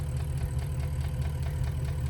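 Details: Porsche Cayenne with a known engine knock, bought despite it, in sub-zero weather: quiet idle with a light steady tick about every fifth of a second; engine reportedly already sleeved and driven 30,000 miles in this state; source not pinned down.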